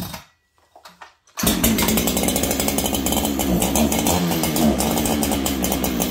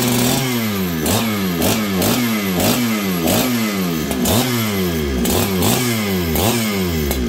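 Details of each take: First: Stock Farmertec 288 kit chainsaw, later found almost out of fuel. It runs at a wavering high buzz that surges unevenly instead of holding steady; the owner first thought it needed tuning, but the cause was a nearly empty tank. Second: Farmertec 288 kit chainsaw with throttle blips during an oiler check, then a steady high idle. Crisp revs and clean throttle response; running well, tuned slightly rich.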